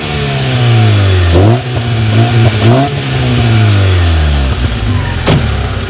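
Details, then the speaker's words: Alfa 145 with newly made exhaust: manifold resealed and tightened with changed bolt, original front section to cat, Fiat Bravo section after; two quick throttle blips give a deep, even burble instead of the earlier rasp, no blowing; exhaust healthy. "actually bizarrely more of a dignified kind of a burble rather than the rasp it was before if i if i up the camera and give you a couple of quick revs of this"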